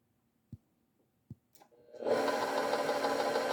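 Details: KitchenAid mixer: two sharp clicks, then the motor spins up to a steady hum with a faint repetitive tick about three per second; owner unsure whether the clicking is normal.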